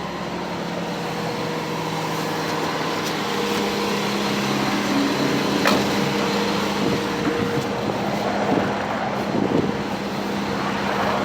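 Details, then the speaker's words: 1985 Cadillac Cimarron, base 2.0L four-cylinder, 43,000 original miles, just after cold start; steady fairly high hum at about 2100 rpm fast idle, constant tone, no misses or knocks, good oil pressure, idle expected to drop once warm. "it idles high for a bit i'm gonna put this window down because uh i don't have my extra set of keys with me don't want to lock myself out [Music] this idle will come way down once it warms up attack works titling at 2100 rpm right"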